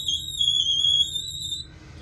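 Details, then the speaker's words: Toilet fill valve gives a loud, steady high whistle with faint water rush only while filling and only within a certain water pressure range; valve deteriorated, fix is replacing it. "this one here it only makes that noise as it's filling and only when the water pressur is within a certain"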